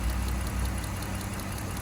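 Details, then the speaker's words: 2014 Dodge Charger 3.6 Pentastar, back for a tick a year after a lifter job; a good fuel injector being tested gives a quick even tick over a soft idle, while the bad injector makes no tick. "I don't know if y'all hear that but it makes like a tick tick tick tick tick sound and when you go to the bad when you don't hear anything"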